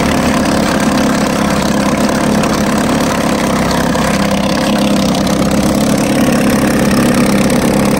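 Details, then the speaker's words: 1950 Johnson HD 25 2.5 hp two-stroke outboard, first start after long disuse, carburetor adjusted: steady, even buzz at fast idle, no misses or knocks, pumping water well. Won't idle at the very lowest, owner plans to clean points; otherwise a good runner. "I think some other day I'll have to clean the points because it doesn't want to idle the very lowest. But other than that, it's a pretty good runner. He's pumping really good water."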